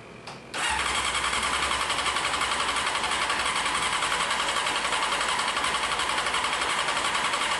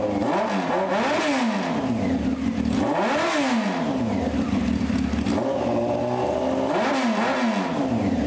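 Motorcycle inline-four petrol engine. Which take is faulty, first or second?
first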